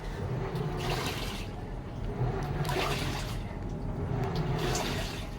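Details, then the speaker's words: Samsung automatic washing machine after controller board repair (defective IC replaced): water sloshes in slow surges every couple of seconds with no fill hiss, inlet shut off at set level, washing normally. "So okay na. So it's a good thing na huminto rin yung tubig niya kasi that means may control o that means gumagana itong icing kinabit ko"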